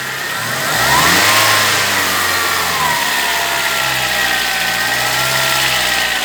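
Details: VW Gol G4 two-door 1.0 four-cylinder, recently bought, already decarbonized: engine revs and holds with a raspy rattle and thin whine, noise only under acceleration and normal without throttle; cause unknown, phone recording at the front of the car.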